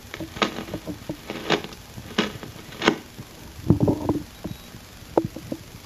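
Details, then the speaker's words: Electronic Measurements Corporation 802 Signal Tracer's noise-test mode, applying about 115 V DC across the part: irregular crackles and scratchy bursts from the speaker as a noisy potentiometer is turned. "the idea is that a noisy component will produce noise when jiggled I can demonstrate it using a potentiometer that's little noisy you can hear the noise when the pot is"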